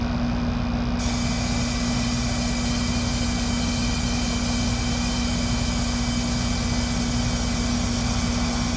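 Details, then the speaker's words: Lennox heat pump, noise complaint, being tested in heat mode after cooling showed 4° superheat, 3° subcooling at 83°F outside: constant low hum with rough, uneven rumble; technician says the noise is in the compressor. "Sounds to me like it's something with the compressor."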